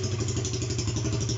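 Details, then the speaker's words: A cheap, rusty pit bike being rebuilt, finally started after a no-start: the small single-cylinder thumps at a quick, even idle with a steady exhaust beat and no misses. Running nicely, though the owner is worried about low compression felt when kicking it. "I finally got it started on she's running really really nice worrying that there's not very much compression when I kick her but hey she runs"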